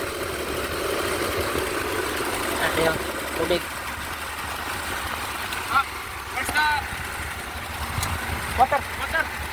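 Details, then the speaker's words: Mazda Bongo Brawny started after replacing the crankshaft pulley and timing belt pulley: low, even engine hum with no knock or squeal, a few handling clatters; a smooth, steady idle after the repair. "Okay na. Mandar na siya. Secure my team. Smooth na yung andar."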